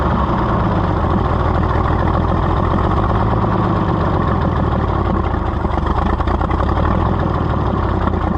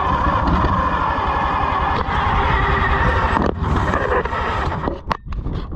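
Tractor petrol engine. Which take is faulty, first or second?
second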